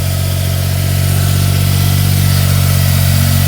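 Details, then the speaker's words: 2004 Smart ForTwo 450 700cc turbo petrol, rebuilt engine, just after replacing the cracked exhaust/catalytic converter; cold fast idle, deep steady even drone, no whistle or rattle, sounds better, healthy. "is that better that sounds better doesn't it and it is revving quite High cuz the car's cold"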